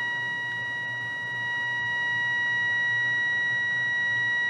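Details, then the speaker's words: Restored 1938 Healing 448E radio, air trimmer set with the signal generator at 1500. A clean, steady high test tone holds without wavering or fading. Medium-wave alignment is done well. "که اینجاست، تمام چیزی که نیاز دارد، درست است، موج متوسط به خوبی انجام شده است"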